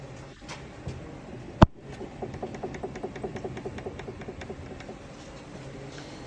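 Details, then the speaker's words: VW Golf: quick run of light knocks, about four or five a second, as steering is rocked; worn steering tie rod, to be replaced. "Тяга отжила свою. Міняємо рульову тягу. От послухайте, як вона стукає."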